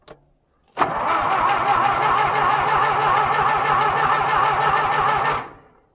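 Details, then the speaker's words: John Deere, cold winter start with choke on, throttle full and a half-clogged fuel filter blown out: steady starter cranking at about four turns a second for four seconds with no firing. The owner suspects it isn't taking fuel. "I don't think it's taking its fuel for whatever reason that tells me that's my problem"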